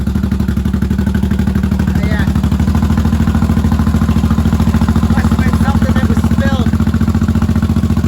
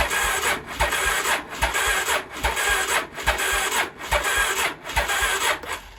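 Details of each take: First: 1983 Honda Shadow VT750C V-twin, first start after sitting, on an auxiliary fuel tank, choke off: steady, even idle with a regular loping beat and no misses or knocks; healthy normal idle, some smoke likely burn-off from the pipes. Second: 1983 Honda Shadow VT750C, first start attempt on auxiliary fuel tank, choke on: starter drags the engine slowly, about one labored turn per second, never catching; battery is dead, not a starting fault.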